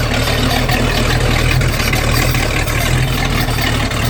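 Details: Boat engine run out of water on earmuffs with garden hose, after newly crimped battery wire connectors: deep steady idle, even low rumble over water splash, no misses or knocks; normal idle.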